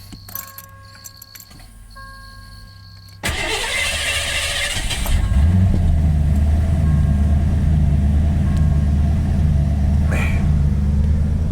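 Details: Neglected 1987 Ford Crown Victoria after new battery and terminals, possibly bad gas, quarter tank: door chime, brief crank, then catches into a low steady idle; hard starting, cause unknown.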